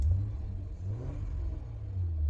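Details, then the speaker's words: Acura TL, 138k miles, oil very low, sold as a flood car but no flood signs found; smooth even low idle that swells cleanly on a rev and settles back, no knocks or rattles, engine sounds healthy. "Sounds super healthy."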